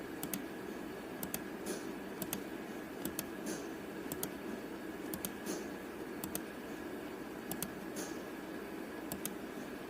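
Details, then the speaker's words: 2011 Mazda 3 2.0 with P0442 EVAP code, engine off: sharp paired clicks about once a second as scan tool commands vent solenoid, switching normally and not stuck; smoke test suspected leaking vent solenoid. "I don't know if you're gonna be here that on this recording but I can positively hear that thing clicking on and off"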